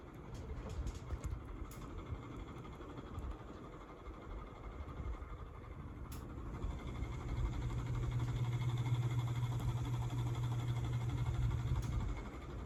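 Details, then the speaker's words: 36-inch brown CEC Georgian ceiling fan: low, rough rumble with a faint throb about four times a second that swells midway. The owner hears bearing noise, and the fan shakes slightly on high speed. "If you listen closely, you could probably hear that sound the bearings are making."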